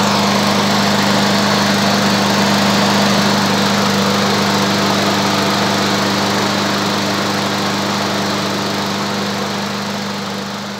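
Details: Walk-behind lawn mower engine warming up for five minutes before an oil change: loud, steady buzzing drone at constant speed for ten seconds, smooth and even with no misses or knocks; healthy running.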